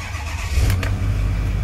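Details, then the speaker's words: 2008 Ford F-450 King Ranch 6.4 diesel 4WD, 128,000 miles, cold start after four or five days sitting at about 60°F: brief crank, catches at once, firm even rumble and clean revs, no smoke, no engine lights; healthy. "it starts right up there's no uh smoke or anything like that [Music] see how that rev it sounds good sounds healthy there's no engine lights on"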